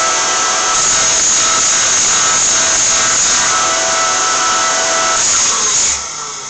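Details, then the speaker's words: TR1998 Cold War VHF AM aircraft radio powered up: steady high-pitched mechanical whine with airy rush, then dropping off; normal noise of the rotary transformer (dynamotor), which runs continuously while powered. "as I said quite noisy the noise obviously generated from the rotary Transformer on this side"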